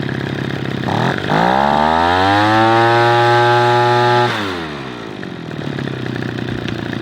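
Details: Echo PB-210e two-stroke leaf blower after spark plug connector repair and high-speed and idle screw adjustment, old plug reinstalled: snaps cleanly to a steady high scream, holds it, then falls to a smooth idle; normal running.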